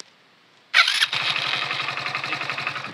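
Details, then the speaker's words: Hero Splendor BS6 motorcycle after fixing starter motor grinding noise: brief clean electric-start whir, engine fires at once into an even idle, no noise on start or shutoff. "ये यहां पर बिल्कुल आवाज नहीं आई और बंद करते वक्त भी यह देखिए फ्रेंड्स बिल्कुल भी आवाज नहीं आई"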